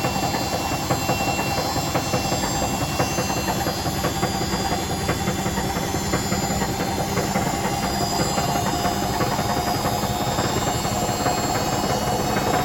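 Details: Hotpoint BHWMXL145 washer at high spin on a test spin. Heavy, irregular banging and rattling about once a second over the drum roar. Two drum spider arms are snapped.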